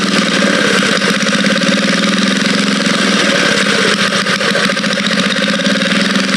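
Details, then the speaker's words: Vintage Cat Duster minibike small single engine at a steady fast idle, even firing with no knocking, misses or smoke; the motor sounds good: normal running. "Don't even smoke or nothing. Man, motor sounds good."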